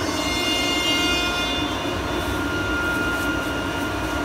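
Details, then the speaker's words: Quincy screw compressor cold start: noticeable high whine over the running roar that quickly quiets, sometimes lasting about 30 seconds; cause not identified, owner mentions the screw rotors. "you hear that really noticeable whine that it starts up with and then quickly got quiet and you can see how really quiet it's running now"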